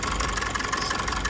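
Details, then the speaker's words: Mazda 6 2.2 Skyactiv diesel at idle, check engine light on but no fault codes: uneven, lumpy beat with shuddering, running on about three cylinders; misfire, injectors suspected, not confirmed. "Starts, but you can hear a very distinctive misfire. So running on what I'd call 3 cylinders at this point in time."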